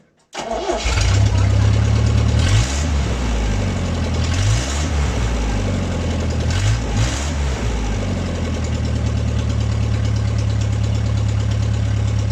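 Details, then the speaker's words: MG restoration, first start in 22 years: cold start without choke. Brief crank, clean catch, then a steady even low idle with no misses or knocks; normal cold start and idle. "Huh? It starts without a choke. Listen."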